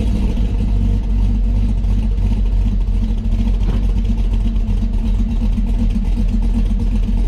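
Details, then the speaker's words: 2008 Silverado 4.8 V8 with Texas Speed On D Gas edition cam, long tube headers, tune and side dump exhaust: deep loud rumble with choppy lumpy lope under steady revs; healthy cammed engine, normal idle and revving. "Yeah, this thing sounds nice."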